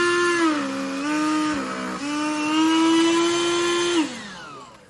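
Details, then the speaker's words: Black+Decker CHV1410L 16V Dustbuster after teardown and cleaning: high motor whine sags and roughens when airflow is blocked under load, then climbs back; owner suspects uncharged batteries or an aging motor, original noise otherwise gone. "But it's not making that noise that it was before, that terrible noise. Only when it's under a lot of load and it can't draw air through it does it start to do that."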